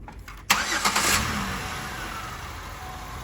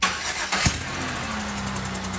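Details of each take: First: 2007 Buick Rendezvous GM 3.5 after head gasket repair for low compression in cylinder two: cranks, starts cleanly and idles smooth and quiet with no more chuffing. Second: 2007 Buick Rendezvous GM 3.5 engine cranks, catches and idles with a steady hiss puffing in time with firing, compression escaping through a blown head gasket that caused no typical symptoms; heard before a block test.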